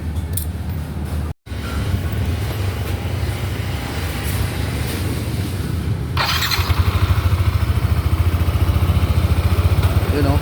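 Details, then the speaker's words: Yamaha NMAX v1 scooter after replacing a damaged rocker arm that caused ticking; camshaft only lightly marked and still usable: even, steady idle thrum with no tapping; valve train quiet and healthy again. "o, tahimik na ulit. Gastos nga lang, sira yung rocker arm. Kaya pala malagatik."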